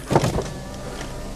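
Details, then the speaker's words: 2005 BMW 120i with 91,200 km: all the power windows wind down with a short, smooth motor whir and soft clicks at start and stop. No grinding or straining; the window regulators sound healthy, normal operation. "So I'll just quickly give all the windows a quick wind down. You can see they're coming down nicely, and likewise on the other"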